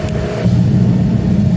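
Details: Master kerosene torpedo heater after E1 error fix, pump pressure set; fan rush, then a deep steady pump hum cuts in and holds even; starts up normally.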